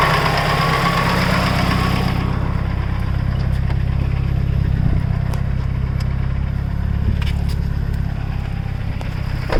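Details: Mitsubishi Evo 8 after full head rebuild (new GSC zero-tick lifters, springs, retainers, valves, cut seats, seals, resurfaced head; Mobil 1 15W-50, WIX filter) idling, steady low drone with faint light ticking; lifter tick suspected, not confirmed.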